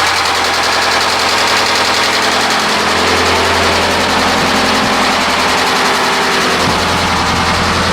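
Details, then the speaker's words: 2009 Subaru Forester at idle, at startup: loud, rapid, regular knock keeping time with crank speed; putting it in gear reduces it somewhat. Owner fears a rod failure; deep bottom-end knock, unconfirmed. "it down in gear it it takes away some of the noise but you can hear it knocking"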